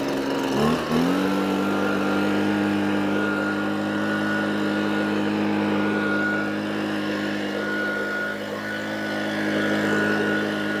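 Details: Echo PB255-LN two-stroke leaf blower after no-start repair with carburetor replaced and coil gap set: catches after brief stumble, settles into clean steady buzz holding pitch; runs properly.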